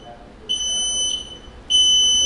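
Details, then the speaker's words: Journey Air Elite lightweight folding powerchair at power-on: two high steady beeps about a second long with a short gap, meaning one of the red rear neutral levers is engaged rather than locked up in drive. "if you hear that beeping sound that means that you are in neutral or one of these neutral levers is engaged"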